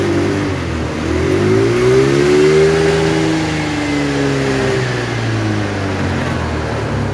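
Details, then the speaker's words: Honda Vario CBS carbureted scooter that was hard to start when cold: revs swell and sag, stumbling as the throttle opens, then it dies after full throttle with black smoke; hesitation, suspected incorrect carburetor setting. "Oke dan ada ngebul hitam Oke ketika habis digaspol langsung mati"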